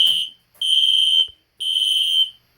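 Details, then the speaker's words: Two System Sensor Spectralert Classic horns (P121575 and P2475) on high volume, lights off: two long, high, slightly raspy blasts about half a second apart, sounding like full-wave rectified though they are not; strobes out of sync; horns working normally. "the alarm sounds like it's doing full wave rectifier which is fwr the strobes are not in sync anymore ones going faster"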